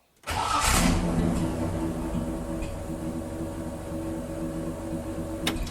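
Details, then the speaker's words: Jeep Willys starting: firm, even, continuous cranking that catches into a steady run; the starter sounds healthy. "Bạn có thể thấy rằng lượt của anh ấy rất liên tục, một lượt chắc chắn! Tôi đặc biệt thích phần khởi động này rất nhiều!"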